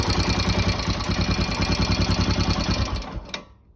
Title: Royal Enfield Himalayan engine noisy after new HT Himalayan Tools cam installed